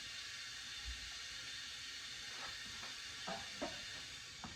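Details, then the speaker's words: 2010 Subaru Forester engine on leak-down test with the oil pan off: cylinder three shows about 50% leakage against about 25% on the others. Steady hiss of air heard escaping at the bottom, suspected exhaust valve. Air leaking from cylinder. "it does sound like the air is coming out the bottom here"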